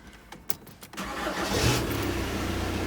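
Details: VW Caddy 1.9 SDi diesel, just reassembled after removing the ECU over a no-throttle fault: a short crank catches cleanly within a second and settles into a smooth, even idle. A healthy start.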